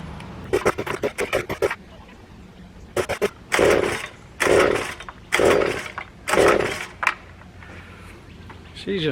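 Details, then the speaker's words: Stihl SH86c handheld two-stroke leaf blower, choke on: repeated pull-cord rasps about once a second with no firing or sputter; cranks but won't start. It was flooding out and reportedly only ran on choke; carburetor problem suspected. "climbed it up turn it on choke on i'm going to chalk it up to a no start not hearing it spitting sputter at all"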